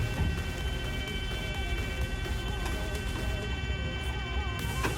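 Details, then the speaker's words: Mazda Savanna RX-7 FC rotary being started, key on with fuel flowing and no leaks seen; continuous loud high buzzy warning tone heard for the first time, source unclear, owner wonders if coolant sensor. "what is that sound? coolant sensor?? thats interesting... its the first time hearing that now.... that is a loud buzzer for sure!! wow!!"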